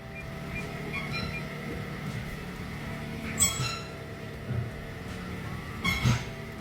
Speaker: So, here's one you don't hear every day. Mitsubishi Outlander with a suspension noise. Customer says it sounds like a clown.